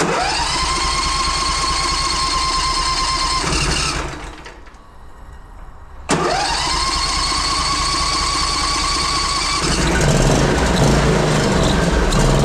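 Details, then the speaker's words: Zero-turn mower, previously a non-runner, started for the season: small engine cranks, catches, stalls, restarts, then settles with a buzzy metallic rattle; owner suspects the loose heat deflector shield on the back, not confirmed. "Got a bit of a weird rattler though on that little shield on the back. Noisy things. Heat deflector shield, I guess."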